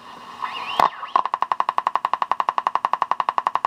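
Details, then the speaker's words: Rapid chirping squeals and whistling, about four a second, from a General Electric C-403A tube radio while tuning. The 22k grid resistor is open or poorly connected through gator wires, causing oscillation. "when you hear a sound like that start looking at your grid resistor folks"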